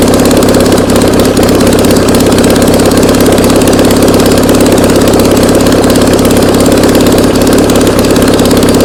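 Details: Air-cooled VW Beetle flat-four sitting two years, on a start stand after refuelling by squirt bottle: steady even settled idle with no misses or knocks; engine running cleanly.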